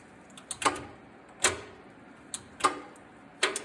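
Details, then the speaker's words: Lawn tractor with the key in the on position and engine off: sharp, dry clicks about once a second from the electric PTO clutch engaging, which is normal and shows the switch and safety are good. "It's clicking, so I know this switch is good and the safety is good."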